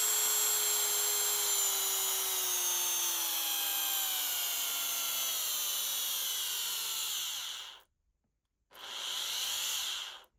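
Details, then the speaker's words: Dremel 3000 multi-tool after repair of a water-damaged, seized shaft, with the bearing oiled and a small grinder bit fitted: a high, clean, even whine that stops and spins back up smoothly with no rattle or grinding, so the tool runs normally. "There you go. Seems to work."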